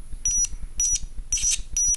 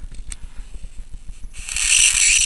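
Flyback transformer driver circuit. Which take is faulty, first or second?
first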